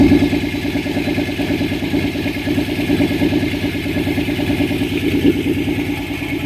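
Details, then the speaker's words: Nissan 300ZX non-turbo swapped to twin turbo and manual, running on third start attempt with no exhaust fitted: loud raw even pulsing, steady firing, clean revs, no ticking or misses; healthy engine. "well there's no ticking or anything like that like yeah she found sounds freaking pretty good real good real good yeah sounds healthy sounds healthy that's how they all sound without an exhaust"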